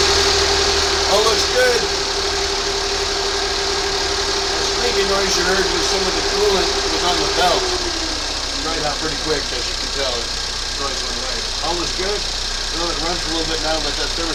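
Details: 2019 Ford Fusion 2.0 after alternator replacement and coolant refill: steady, even idle with no rattle or knock over light background music; engine settling normally, alternator charging well with no dashboard warnings.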